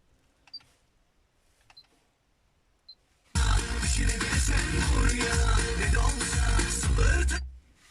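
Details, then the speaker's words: Honda Civic 2001-2005 front right door speaker at volume 15, phone held at cabin centre: after a few clicks, music sounds harsh, boomy and crackling, like a blown speaker; the speaker is to be replaced. "böyle ses patlak gibi geliyor patlayarak hiç keyfi yok"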